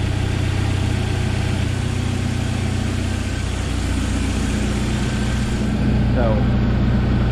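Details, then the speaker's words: 1997 Jeep Wrangler TJ 2.5L four-cylinder, freshly rebuilt and in break-in: smooth, even, quiet idle with light, quick injector ticking and no knocks. Normal idle. "everything is as i wanted it to be it runs good and quiet no bad noises or anything it's just smooth"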